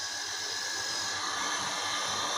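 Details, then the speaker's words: Small pump motor tested on a house-wiring cable after a cable fault was found and removed: an even, high-pitched whirring hum at constant speed with no grinding or stutter; the motor and cable now work properly. "यह देखो motor की आवाज आ रही है इसका मतलब motor सही है"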